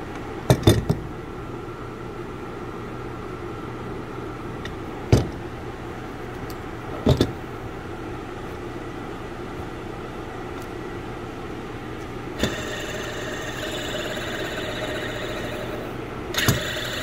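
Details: Honda Pilot at steady idle: a faint continuous whir from a worn auto belt tensioner bearing, with a few sharp handling clicks.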